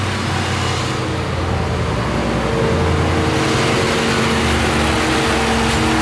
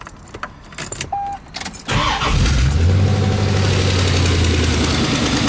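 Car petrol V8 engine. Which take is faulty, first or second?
second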